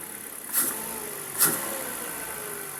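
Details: Kia, after MAP sensor cleaning for a rough idle; steady even idle with two quick, clean throttle blips about a second apart, rising and settling smoothly; engine sounds healthy.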